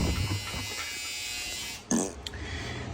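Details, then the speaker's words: Maytag Bravos top-load washer with 10-year warranty: steady rough buzz with a low grinding undertone. It won't spin up to high speed due to a stripped basket hub and bad bearing. Fixed by replacing the gearcase and basket hub. "all right so we got in a May tag braavos with a 10year warranty yeah you can hear that one Maytag commercial 10year warranty stripped basket"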